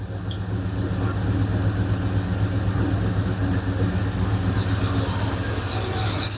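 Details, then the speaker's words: 5.7 Hemi after replacing lifters: steady, even V8 idle with low rumble and faint top-end clatter, quieter as it warms; tick gone, exhaust leak and possible small vacuum leak remain. "Sounds good. A little noisy yet, but not too bad."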